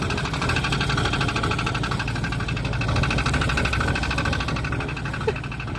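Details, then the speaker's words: 1989 Jeep Cherokee XJ, Renix 4.6L I6, AW4: slow idle with dull, loosely regular knocking about three per second, sounds like the oil pan area; owner suspects flex plate bolts, not confirmed. "idle kind of sounds like it's the oil pan"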